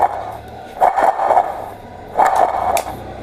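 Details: 2016 Suzuki Bolan (Maruti Omni type) gearbox, mic held close while shaft turned by hand: gritty rumble in bursts; broken gearbox top shaft bearing; noise heard at cold-start idle, disappeared with clutch pressed.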